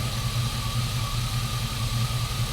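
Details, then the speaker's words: GMC Sierra swapped from 4.3 to 5.3 V8 with a brand-new alternator reading about 14.3 V: steady idle with a thin constant high whine throughout; owner suspects a bad alternator bearing, cause unconfirmed. "yeah about 14.3 that seems about right sure is noisy though yeah we're getting a good reading there so i just don't like how loud it is"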